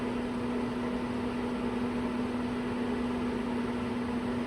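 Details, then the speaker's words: RV propane furnace after bad regulator replaced, furnace turned off but blower still running before ignition retry; steady mid-pitched fan hum with even airflow, no ticking yet, blower running normally. "It's turned off right now, but the fan's still going."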